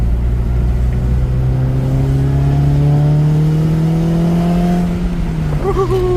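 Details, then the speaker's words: 2006 Honda Civic Si (K20Z3) fitted with a Mercracing TVS-1900 supercharger and aftercooler, driving under hard acceleration. A clean blower whine climbs with revs and drops off on lift. It quickly made 6 psi of boost: normal supercharger boost. "We made 6 pounds of boost real quick."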